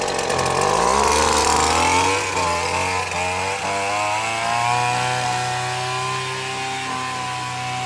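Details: McCulloch T55 CLS line trimmer after retightening loose cylinder head bolts that had prevented starting: crisp two-stroke buzz revs up then settles to a steady, even note; running cleanly.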